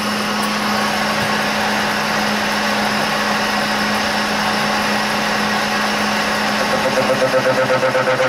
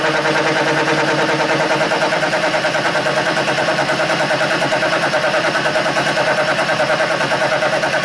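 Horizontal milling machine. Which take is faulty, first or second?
second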